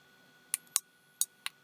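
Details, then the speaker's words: Night Owl night vision monocular with image intensifier tube, powered on: four sharp dry snaps in under a second over a faint hiss, high-voltage arcing breakdown inside near the top of the voltage multiplier. "well let's see if we see any art breakdown on the inside no polite for some sparks oh yeah I hear it's quite nasty oh"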